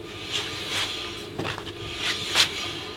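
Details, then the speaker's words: Rodius diesel 5-cylinder at 180,000 km, wheel spun by hand, bearings recently replaced and no play: soft swishing rub, no grinding or rumble; only brake drag, wheel bearing healthy. "entend que le frottement du frein donc a priori le roulement est bon et je fais ça sur les quatre roues"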